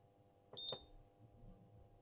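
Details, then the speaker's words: CBS Scientific EPS 250 Series II electrophoresis power supply (0–250 V, 0–500 mA, minimum-load protected). A single short high-pitched beep over a quiet hum as it shows an error when the output is switched on with no load. "so voltage off is what we see here and I have not turned on the output so let's do that and then it goes error okay so there's an error"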